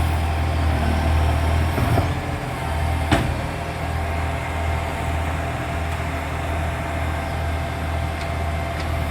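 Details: NAWMA FOGO 3520 diesel: a loud, raspy roar with a rough, uneven puffing edge over the low engine note, suggesting a large exhaust leak (not confirmed), so the exhaust is loud.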